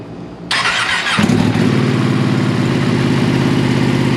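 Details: Ducati 959 Panigale twin with a newly installed full titanium Akrapovic exhaust; starter whirs, engine catches and settles into an even, slightly lumpy idle with a deeper, louder note; running normally.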